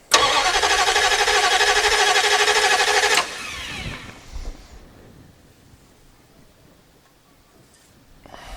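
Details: 1989 Dodge D200 after repairs, first start attempt with the key in run and the gas pedal pumped: starter spins the engine at an even three beats a second for about three seconds, no firing at all, then stops; cranks but won't start.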